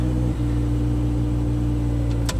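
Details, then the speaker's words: Chevrolet Trailblazer after a 1,500-mile trip, start after sitting about 20 minutes: long starter crank before it catches and settles into steady low idle; owner suspects fuel pressure bleeding off, hard start, before fuel pressure test. "That's safe fuel start. Taking way too long. If you grind it too long on the starter like that, and it's hard on the starter."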